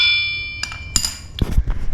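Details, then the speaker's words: 383 big-block crankshaft ring test: struck crank gives a few bright tones dying quickly, a little dead; suspected exposure to severe harmonics/detonation from running with spark knock, possible cracking, not confirmed; deemed fine for street use, not race. "The reason that this crank sounds like that, a little on the dead side. Listen to that. That sharp pitch all the way through, is because it's been exposed to severe harmonics."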